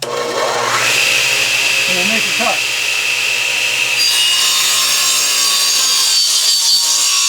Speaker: cut bearings and they still sound like they're in good shape.